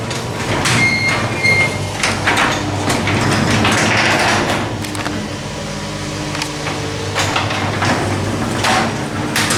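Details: Newly installed Menards replacement garage door opener (replacing a Genie screw drive) after reattaching, being tested: steady motor hum with light rolling clatter as the door travels, no grinding, banging or straining; runs normally.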